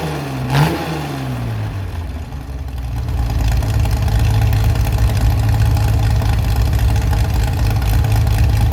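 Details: Chevy SS restoration engine with a non-original cam, running after the fuel level was lowered: a quick throttle blip, then a steady, even idle with no knocks or misses; runs clean and responsive.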